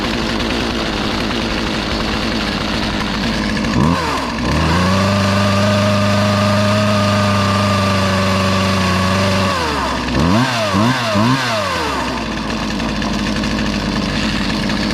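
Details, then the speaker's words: Poulan 2450 chainsaw with 18-inch bar, reassembled after chain, bar and handle work, sat two weeks; revs to a steady high buzz, holds, drops back, then takes quick blips cleanly; runs and idles fine, brought back to life. "oh well i think it worked that was worth it brought it back to life and uh we'll have some fun with it"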